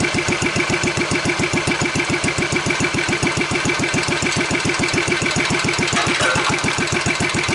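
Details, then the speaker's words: Wheel Horse 753 lawn tractor, single-cylinder engine run on choke then given throttle: steady thumping at about three and a half beats a second with a faint scraping hiss that seems to be getting worse. Flywheel checked still tight; a guard is rubbing. "Let me see what that noise is. Seems like it's getting worse."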